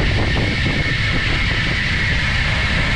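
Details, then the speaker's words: Air handler fan motor on a Danfoss VLT VFD in hand mode, raised from about 8 Hz to 20 Hz: smooth, even fan roar with a steady whir above it, no knocks or rubbing; normal running at higher speed. "okay so we got it at 20 Hertz now okay we're increasing the actual throttle to this motor with the vfb okay much faster okay"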